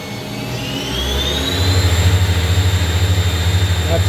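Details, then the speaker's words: Spindle of a 1999 Miyano BND 42C5 lathe bumped from 3,000 to its 5,000 rpm maximum: motor hum climbs with a rising whine, then holds a steady smooth drone; normal spindle at maximum speed. "And I'll bump it up to 5,000 so you can hear maximum spindle speed."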